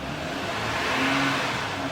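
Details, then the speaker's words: 2009 Honda Odyssey after replacing upstream and downstream O2 sensors (bank S2 readings previously erratic, now matched on OBD): short smooth rev with even drone, no misses, ticks or stumbles. Sounds really smooth; believed fixed. "Very smooth. Sounds really smooth now. So I think we fixed it."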